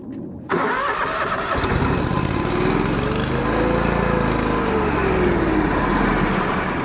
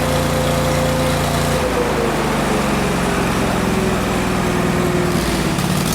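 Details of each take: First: Kohler engine on Miller Bobcat 225NT welder/generator, after idle control module replacement (low idle now kicks in): engine catches, then speed climbs and falls instead of settling; surging idle, owner suspects a carb issue, not confirmed. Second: Miller Bobcat 225NT welder/generator with an older Kohler engine, fully warmed up after the idle control module was replaced: a steady, even note dips slightly and settles with no misses or knocks, running well now that the fuel pump works when warm.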